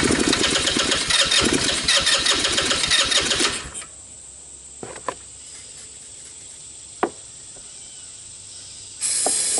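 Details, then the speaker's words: Tao Tao Bull 150 ATV with stale gas and trashed carburetor, started on starting fluid: fires and buzzes about four seconds, dies, catches briefly again; carb not feeding fuel though fuel reaches it. "Seems to be running on the starting fluid. Doesn't seem to be pulling gas, or if it is, very, very little."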